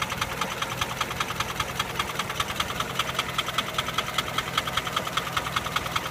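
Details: Nissan Sunny petrol engine at idle with a sharp, regular metallic ticking knock; owner seeking help identifying it, source unknown.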